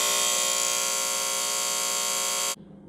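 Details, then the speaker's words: Nearly 30-year-old Trane XE90 furnace, breaker just on, control board LED solid (internal control failure): steady harsh electrical buzz from the board, cutting off abruptly; control board electrical buzzing, board replaced. "so I just turned the breaker onto the furnace you can hear that buzzing noise it's definitely coming from right here if you can even feel it"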